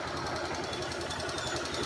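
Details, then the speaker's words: 2014 Honda Fan 125 motorcycle at idle: rapid, even metallic knocking over the running note, still present after replacing almost the whole cylinder; it runs hot quickly and was found clogged, not oiling one side. "Troquei o cilindro praticamente completo e ela ainda continua com esse barulho."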